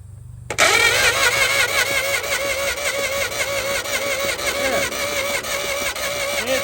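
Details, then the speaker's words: 1950 DeSoto Custom, sat about six years, positive-ground system, original battery cables: starter spins strongly with a steady whirring, even rhythm and clean engagement, no grinding; normal starter cranking. "turns over on its own. Okay, that starter sounds great."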